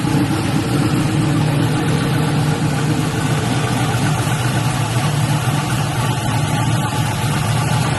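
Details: LS-swapped Buick Regal V8 after thermostat change, cranked with radiator cap off to check for leaks before adding coolant: deep, even idle with steady rumble, no knocks or misses; running smoothly.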